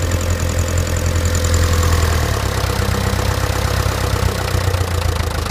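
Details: Land Rover Series 3 diesel at idle: dull knock repeating in step with the engine, cause unclear. Persists despite a new fuel pump, filter and injector pipes.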